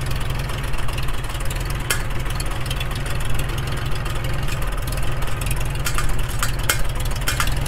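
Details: Freshly restored 1942 Farmall H tractor, muffler just fitted, carb roughly tuned, engine still breaking in and not fully hot: deep even low-pitched chugging at steady idle, no knocks or misses; running fairly well.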